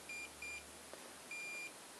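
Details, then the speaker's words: Salvaged Xiaomi M365/Ninebot-type e-scooter controller with the brake lever Hall sensor unplugged to simulate a fault: one long beep and five short beeps, error code 15, a brake sensor fault. "3 4 5 voilà donc j'ai un grand trait et 5,5 petit bip on sait bien que c'est le code 15 cocktail à cop15 or 15 égale problème sur le capteur de froid capteur de froid"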